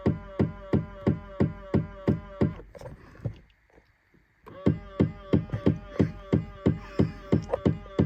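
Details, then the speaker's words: 2000 Ford Explorer XLT power side mirrors, driver and passenger: sharp, regular clicking about three times a second while the mirror moves, pausing then resuming; noisy mirror motor, cause unknown. "I'm gonna show you the driver's side mirror and the passenger side mirror making a funny noise. You'll hear it momentarily, what makes me laugh."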